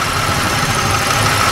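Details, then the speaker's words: 1995 Pontiac Grand Prix SE, 3.1L (3100) V6, automatic, cold start: light hollow knocking under steady idle, piston slap common on GM engines of this era, fading after about two minutes of running. "that's very common for vehicles from GM of this era of the generation that this car comes from it goes away after 2 minutes worth of running as you can already hear it's already disappearing it does not affect the operation or the running of the motor"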